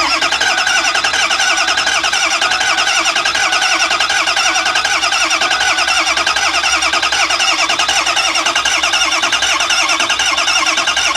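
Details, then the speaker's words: Ford E350 6.0 diesel bus, final attempt after other repairs: starter churns at a steady rhythm for seconds without catching; crank no start, no oil pressure so no injection control pressure; owner suspects the IPR, risk of burning the starter. "no oil pressure none okay we're going to end up burning up the starter if we don't stop"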